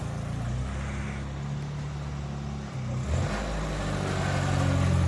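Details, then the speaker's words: Toyota Tercel 4WD wagon with 3A-C engine after reinstall and carburetor swap, pulling out for first test drive: steady low drone with even beat, smooth, no knocks or misses; engine sounds much better now. "Oh yeah, she sounds really good now."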